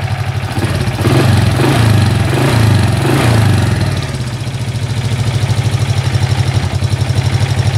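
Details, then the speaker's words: Honda Dream hybrid with a 110 block and 110 crankshaft, standard head and carburetor, converted to EX5 class-one auto clutch, just started: steady, even, smooth idle with no knocks. Sounds healthy. "Macam ni lah bunyi enjin Dream kacuk 110. Smooth dia bunyi enjin dia."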